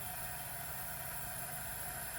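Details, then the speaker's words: 1961 Cadillac leak-down test, cylinder pressurized at top dead centre with valves closed, microphone at the carburetor: quiet steady airy hiss escaping through the carburetor, indicating the intake valve isn't sealing. "for example you're here and hissing in the carburetor then you know the valve is no good"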